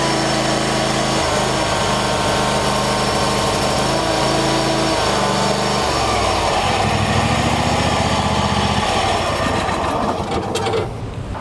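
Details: Troy-Bilt lawn tractor, hard to start since new, after choke/throttle cable adjusted to about 1/8 in play: fires and runs with an even beat, settles lower partway, shuts off cleanly.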